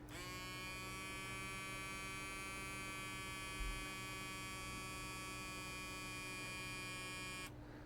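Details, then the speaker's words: Pump of a pocket-sized vape-component smoke machine run on a tiny 350 mAh, 4 mm lithium-polymer battery: steady high buzz over an even hum for about seven seconds, then it cuts off. Running slower and weaker but working. "so not nearly as powerful but it is still working"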